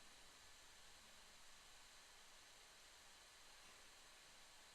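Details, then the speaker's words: 2010 13" MacBook Pro A1278, diagnostics error 4SNS/1/C0000008: TPOP--124, pointing to a sensor fault: faint, steady airy hiss of the cooling fan ramped to and held at maximum speed right after power-on. "And there we go. So we've got our maximum ramp on our fan."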